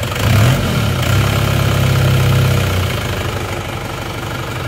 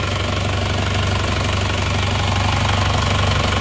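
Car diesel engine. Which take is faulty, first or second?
first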